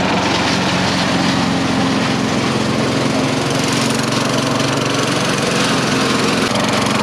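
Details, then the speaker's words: Craftsman 4.5 HP four-stroke carbureted yard vacuum, after cleaning a fuel-fouled, gas-wet spark plug; before, it ran 5-10 seconds and died. It now holds a steady, even running note with no stumbling or dying; normal running. "there you go buck that's one way you can diagnose and then fix a situation like the one i had"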